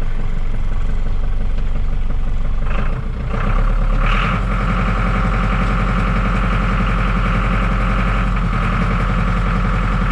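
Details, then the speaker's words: John Deere 5410 tractor diesel that lost all power in the field, hand throttle untouched: steady idle sags in speed a few seconds in, then claws back; sounds like fuel starvation, with algae found in the fuel. "Hear that losing power? Maybe it's going to come out of it, but I don't believe it."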